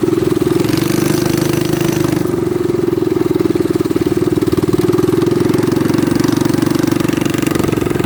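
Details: Baja Warrior minibike single-cylinder engine, throttle stop screw removed for full throttle, after a front fork swap: even, steady putter with a brief dip in pitch, then smooth recovery; runs clean with no faults.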